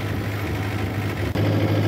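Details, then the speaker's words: John Deere 2010 tractor after a PTO gearbox repair (damaged housing welded, bolt fitted in the intermediate gear pin hole): a brief dip, then a steady, even low idle with no knocks or grinding; running normally. "PTO engage sounds fine to me the tractor runs loud anyway I couldn't hear anything it seemed to be running very very smooth"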